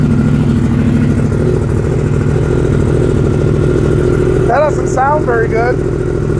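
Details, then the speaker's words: 2015 Yamaha R1M inline-four, about 10 years old, at first start before repair: uneven, stumbling idle with a skipping beat, running on about 3.5 cylinders; misfire. "it doesn't sound very good at all. Well, that's probably not great. I think we can get that fixed up though. Sounds like it's running on about 3.5 cylinders, yeah."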